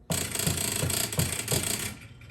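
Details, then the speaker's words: 1976 Bally Flip Flop electromechanical pinball machine: rapid buzzy rattle with heavier surges about three times a second from the relay that alternates playfield features, lights flickering; suspected chattering relay with dirty contacts, not confirmed. "There's a relay. There's a relay that's not working quite right."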